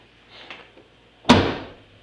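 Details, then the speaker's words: 2005 Chevy Impala trunk lid after fixing a rattle with felt pads, wire and stuffing: one firm, deep thud with no hollow ring or trailing rattle; the lid now shuts solidly. "sounds a whole lot more solid doesn't sound hollow or anything or it make any rattle shaking sounds or that annoying stuff just sounds a lot more solid"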